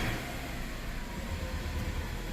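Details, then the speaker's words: Subaru EJ25 (WRX/STI/Legacy) just restarted after replacing a cylinder 2 spark plug damaged at install, before warm-up: a low, steady, even boxer idle with no stumbles. Normal idle, no misfire. "Nope, everything sounds good. That's pretty quickly you'll realize if you forgot to plug in a coil pack, or you know, if you potentially destroyed another spark plug on install."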